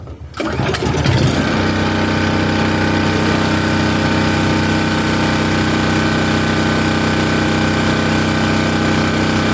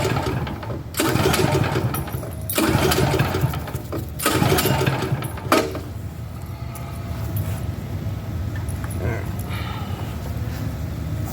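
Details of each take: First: Champion dual fuel generator on propane, starting after three more pulls: short pull, catch, quick settle into steady, even buzzing run, no surging or missing; normal start and idle. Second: Champion dual fuel generator on propane: several rough recoil pulls, short churning bursts that die away, never catches; crank-no-start, owner guesses propane had not reached the engine after fuel was switched off and on.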